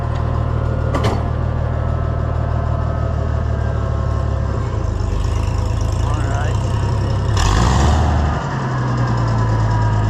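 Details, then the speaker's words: Oliver 1650 tractor engine after governor replacement and adjustment: steady low beat picks up promptly with throttle and settles evenly; governor responds right away; engine has a slight tick, old governor pieces may remain in the pan. "responds right away. It's as good as we can make it today."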